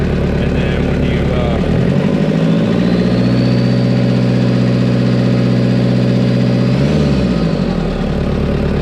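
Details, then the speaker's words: Toyota 1KZ diesel, after injection pump rotated toward engine to increase fuel and fix white smoke and missing: starts right up, idles evenly, revs smoothly with no stumble or miss, no white smoke; sounds sturdy, as it should. "and she starts right up so it starts right up no white smoke she runs it sounds really good sounds really sturdy"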